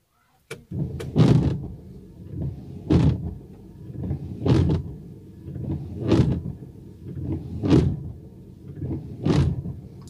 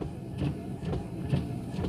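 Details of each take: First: Worn windshield wiper blades sweeping about every 1.6 seconds, each pass juddering and squawking loudly across the glass. Wiper blade chatter. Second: Windshield wipers on fast speed in light drizzle after replacing the wiper blade: soft, even swishes about twice a second, no squeak or chatter; noise fixed.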